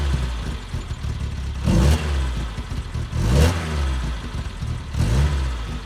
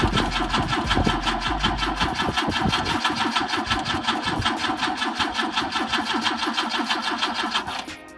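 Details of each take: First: BMW with M10 four-cylinder engine, first start after about 1.5 years sitting, with rear end reassembled, new bushings, diff and exhaust fitted; runs with regular throttle blips, revving cleanly and settling without misses; normal healthy running. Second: BMW with M10 engine, first start attempt after 1.5 years not running, fuel in tank: steady rhythmic cranking about two and a half beats a second with no catch, then stops; won't fire, suspected not enough fuel.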